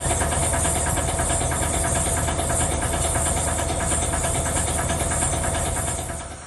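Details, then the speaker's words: Wood chipper running: loud roar with uneven banging and scraping about three hits a second on the disc, from a broken, bent knife, heard while feed wheel speeds were being adjusted. "okay so as you can tell we had a noise we have some issues and this always happens it seems like"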